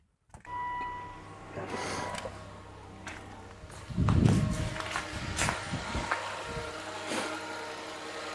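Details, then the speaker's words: 2013 Volvo XC90 3.2L idling after PCV valve oil trap cover replacement: smooth, even low idle hum, no high-pitched whistle and no whoosh at the dipstick; normal idle, repair successful. "With the engine on, there is no whistling sound. When I pull on the dipstick, there is no whoosh. So, I think that's a success."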